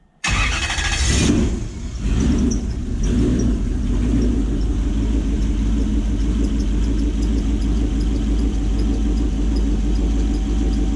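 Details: Gen 1 non-VVTi Lexus 1UZ-FE V8 jetboat on Link Atom ECU, EGR deleted, previously running on 6 cylinders: after repair, cranks briefly, catches first try and settles into smooth, even V8 idle with no stumble or skip.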